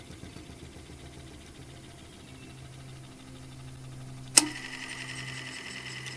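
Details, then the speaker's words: Refurbished Century electric motor wired for 230 V; quiet, steady motor hum with one sharp click near four seconds as the centrifugal start switch disengages cleanly, working properly. "there's the start switch oh it's functioning perfectly perfectly"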